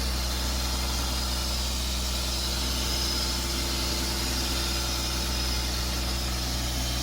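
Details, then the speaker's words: 1996 BMW E36 328i six-cylinder idling right after a new MAF sensor was fitted: smooth, even idle with a low steady hum, no stumbling or hunting; running much better with the new MAF. "So I think it's running better now with the new MAF. Much better. That's awesome."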